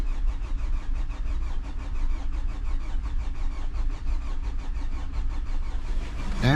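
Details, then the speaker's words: 2011 Hyundai Sonata crank no start: steady rhythmic cranking for nearly seven seconds with no firing; the pump gets power per the test light but builds no fuel pressure, a bad fuel pump. "So, looks like we have a bad fuel pump. Let me just make sure we're really not building fuel pressure."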